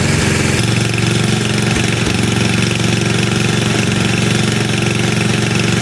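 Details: Tecumseh HMSK80 snow blower engine, warm and throttled up, after a no-spark fault was fixed by bending out a cover corner that touched the shut-off switch. Steady, even single-cylinder drone, no stumbles or cutting out.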